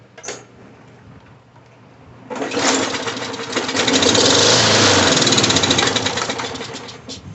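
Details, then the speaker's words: Bolens 22-inch push mower, Briggs 4.5 hp, no start, air filter off, fluid sprayed into carburetor; barks to life at a fast even beat, holds a few seconds then dies; has compression and spark, carburetor needs rebuilding. "all right so this fired up and shut back off so it's got compression it's got spark or it wouldn't have fired at all um it is a carburetor issue"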